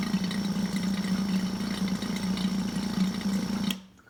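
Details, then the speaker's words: Yamaha V-Star 1100 after carb rebuild and reassembly, flushing fuel from a test tank: steady low electric fuel pump hum for a few seconds then clean cutoff as carb bowls fill; normal operation. "eventually that noise will stop when fuel stops flowing because the carbs will stop the movement of fuel"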